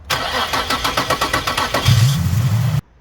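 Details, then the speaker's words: Nissan 350Z cranking: nearly two seconds of even starter chugging before it catches and roars; slow, hard start from a failing camshaft position sensor, possibly code P0345, bank two. "that means that's the sensor p0345 I think it is that's Bank two"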